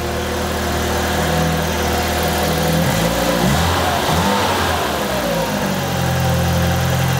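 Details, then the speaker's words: Peugeot 205 GTI after fixing starting problems: steady, even idle, brief rev blip, then settled tick-over, no more strange noises. "plus de bruit bizarre plus aucun bruit bizarre c'est bon elle tourne mais feu de Dieu"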